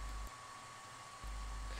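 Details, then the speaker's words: Creality Ender 3 3D printer with BigTreeTech SKR Mini E3 board and quiet stepper drivers; power supply, mainboard and heat-break fans all run at full speed constantly, a steady airy roar with high tone that dominates the otherwise quiet printer. "now those roaring fans really dominate and although it's a constant noise not the ever-changing noise that a 3d printer normally makes which is a lot more distracting this is wearing after well it makes you tired"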